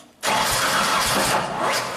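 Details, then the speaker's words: 2000 Genie S60 four-wheel-drive boom lift, sat about four years, cranked 2 seconds with a simulated crank sensor signal at 6 kilo-ohms: ragged uneven pops catching and fading, injectors and ignition coil firing at random; erratic firing from faulty crank sensor signal. "And you can see it's garbage. I mean, the injectors are firing random times. The ignition coil seems to be going boom, boom, boom."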